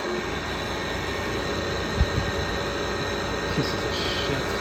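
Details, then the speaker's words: Steady shrill squeal with rough grinding undertone from an air conditioner unit about 10 years old that just started the noise; owner suspects bad fan motor bearings, sounds worse than the indoor unit. "that just started making that noise. So I guess it's another one with bad bearings."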